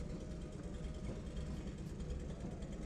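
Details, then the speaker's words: Nissan 280ZX, warmed up, with a deep labouring drone that never picks up while climbing a hill. The engine is bogging under load. It has lost power accelerating uphill since the car was lowered, the gas pedal has some resistance, and it stalled just before. "right now it's just struggling just to get up the hill"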